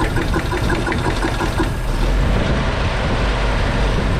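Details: WC54 Dodge 3/4-ton ambulance, first start after 20+ years sitting, on a new carburetor and a temporary fuel source: low, loping, irregular idle with dropped pulses. It is suspected not to be firing on all cylinders, and the points spark is intermittent.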